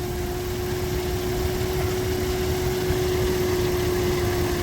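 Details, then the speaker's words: 2001-2004 Nissan R50 Pathfinder/Infiniti QX4 at idle after battery died and was replaced: steady mid-pitched whine over the engine rumble from the alternator area; alternator still charging but failing, replacement OEM unit obtained. "My battery crapped out a few days after that, and it was outside of warranty, so I paid for a brand new battery. The alternator's still charging, but listen to that"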